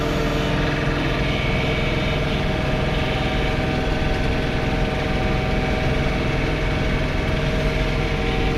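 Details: John Deere 3 Series compact tractor snow blowing, accidentally in high range: steady diesel drone with a humming vibration that changes pitch with rpm; owner hopes it is not a bearing, source not yet found.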